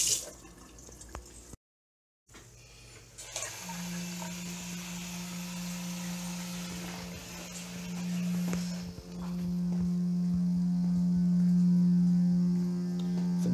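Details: Two-storey townhome, laundry room, water running with low pressure for about 6 months: steady low howling drone that swells and holds with the flow; supply pipes humming, cause unknown.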